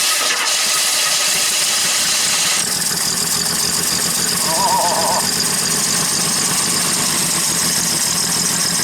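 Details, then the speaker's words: 1977 AMC AMX Hornet junker, just started after priming the carburetor: harsh, raspy, uneven idle with heavy crackle, loud enough to drown everything; exhaust sounds unsilenced, muffler suspected missing. "Sounds like the muffler's missing."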